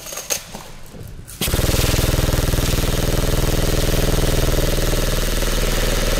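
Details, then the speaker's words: Lancer Tactical Gen 3 airsoft gun in a full-auto torture test: fast, even mechanical chatter at a steady rate with no stutter or whine. The gearbox is cycling normally and still sounds healthy, though the motor grip is starting to heat up a bit. "Still sounds healthy. The motor grip is starting to heat up a bit, but nothing too stand out."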